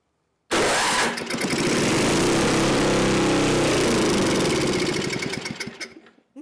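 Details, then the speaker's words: Neglected older Craftsman snowblower, sat years in a shed, leaking fuel, run on electric start: fires and runs hard a few seconds, then sags, stumbles and dies; seems fuel-starved, carburetor passages possibly gummed. "she is starving for fuel all right so that that going to put my little screwdriver"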